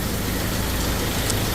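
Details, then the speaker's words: Ford Ranger diesel idling after repair for starting then stalling: steady, even low rumble with no stumbling. Injectors were redone because their tips were damaged by poor-quality fuel, and an engine oil change was advised. The engine now runs smoothly. "คันนี้นะครับเครื่องยนต์เดินนิ่งนะฮะทำหัวฉีดใหม่ปลายหัวฉีดเนั่นสเสียนะครับขีดน้ำมันไม่ดีนะน้ำมันที่เติม"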